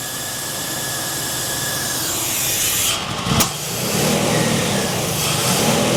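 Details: 1979 GMC Sierra, abandoned 25 years, after timing knocked back from too advanced: crank catches at about three seconds and settles into steady, even idle; clean, healthy start.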